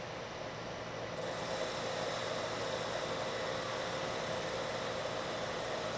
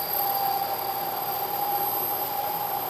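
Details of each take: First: Lathe turning a long, thin part after a center is machined into its end, at the same depth and speed as the earlier chattering pass. A steady, even hiss with no chatter, leaving a much better surface finish. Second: you can hear the noise the chatter and if you look closely you can see a very irregular surface finish what's happening is due to the deflection of the part the part Rises up a little bit rides up onto the tool and then back off the tool and vibrates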